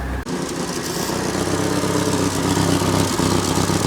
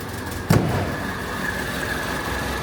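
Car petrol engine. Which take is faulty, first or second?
first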